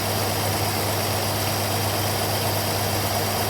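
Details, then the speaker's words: Austin K9 vintage truck petrol engine under restoration: lumpy, uneven idle with stumbling beat, misfiring; owner suspects oil poured over a spark plug, and all plugs are being changed. "think it sounds better. But it could be worse. Misfiring, but I think that's because I poured oil all over a spark plug."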